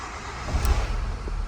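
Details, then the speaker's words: 2008 Ford EcoSport that would not start (DTCs B1681, U2199, U2510) and went from shop to shop, cranking briefly then firing and settling into a steady rumble after a fuse was replaced during antenna circuit diagnosis. "Encendió el Ford Ecpport, señores. Está vivo, señores. Ford Ecport andando nuevamente."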